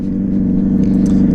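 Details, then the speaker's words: 2009 Yamaha Fazer 600 with WR exhaust tip, riding, GoPro-recorded: loud, steady, low droning abnormal roar, high idle when warm; owner suspects poorly seated new air filter, not confirmed. "sabe o negócio que eu tô sentindo que essa moto tá tá berrando estranho"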